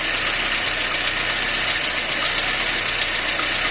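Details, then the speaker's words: VAZ 2110 with hard cold-morning starts, idling on petrol while warming, not yet hot but no longer cold; uneven stumbling beat with hiss, rough idle suspected from vacuum leak at throttle plus a lazy cylinder. "але ви чуєте Як працює двигун зараз він СМИ ться тобто він ще не дуже гарячий а вже але вже доволі нехолодний працює Дуже"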